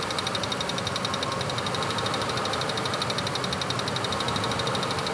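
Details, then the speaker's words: Ford F-150 waste-spark ignition after misfire repair, cylinder six checked; steady, even idle with no stumble or skipped pulses, constant miss gone: normal idle. "You hear how we've corrected the misfire. You can hear it. I don't think anybody else can hear it, but that constant miss is now gone."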